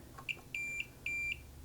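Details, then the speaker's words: Marantz 2245 receiver, multimeter diode test on the bridge rectifier after an odd positive filter capacitor reading: quick chirp then two steady high beeps showing continuity; shorted bridge rectifier on the positive rail. "found it. Shorted bridge rectifier on the positive rail."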